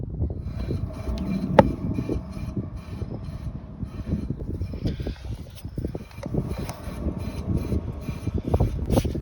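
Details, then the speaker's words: Ford Fiesta MK6 while moving: rough low rumble and grinding drone from a worn rear wheel bearing, overdue for replacement; these cars tend to chew these bearings. "your wheel bearing is probably definitely overdue a change. Now, for some reason, these MK6 Fiestas do have a tendency of completely chewing these wheel bearings."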